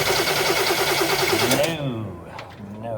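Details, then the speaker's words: 1964 Cadillac that sat too long, feed line off at the fuel filter: starter cranks steadily about three turns a second but never fires; no fuel reaching the filter bowl, suspected failed fuel pump diaphragm or other fuel supply fault. "either the fuel pump has given up the ghost the diaphragm inside that goes up and down can go bad if it's sat for a really long time like two years"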